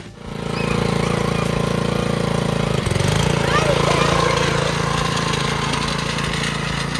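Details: Old Wheel Horse tractor fitted with a brand-new 79cc Predator single-cylinder engine, first start on fresh gas and oil with choke on: it catches after a brief crank, then settles into a steady, even chug with no knocks or misses. Runs healthy.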